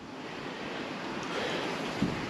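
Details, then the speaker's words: Ferrari 512 BBi flat-12 on a leak-down test, with debris removed from the cylinder and the gauge holding near 100: steady soft air hiss heard at the spark plug hole; a small leak and the cylinder seals acceptably. "you can actually hear more of a leak from actual spark plug hole here you can hear it coming through there"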